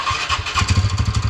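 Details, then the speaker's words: TVS Ntorq BS6 scooter just after start-up: a quick, steady tak-tak knock about eight a second rides over the idle, coming from the engine's magneto side; loose magneto-side nut. "देखिए problem जो इसमें है ये mag magnet side से problem आ रहा है engine से engine से साउंड आ रहा है"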